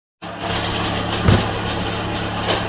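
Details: Volvo V70R/S60R engine idling with the belt drive running: steady whirring rumble with a rough, gritty edge, from a worn A/C compressor (the alternator bearings are also shot).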